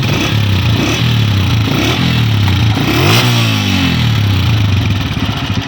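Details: New 2026 Honda CG 125 single-cylinder after repair and tappet adjustment (one tappet too loose, one slightly tight): engine blips up and settles smoothly with no tapping standing out from the exhaust note; valve train sounds healthy.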